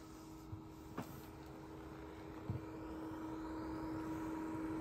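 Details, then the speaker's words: Yaesu FT-710 AESS transceiver: a steady low hum at constant pitch from the cooling fan, which runs all the time even when just switched on and receiving, never transmitting; the FTdx10 does not do this. "it's the fan the fan runs it's right here the fan runs constantly even on receive I haven't even transmitted I just turned the radio on"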